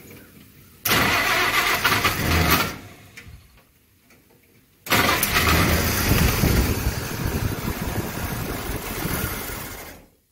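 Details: First start after last-minute carburetor setup: the engine cranks, catches and runs ragged, rough and smoky for about five seconds, then dies, with smoke from the oil bath air cleaner and the choke open; fuel delivery not dialed in.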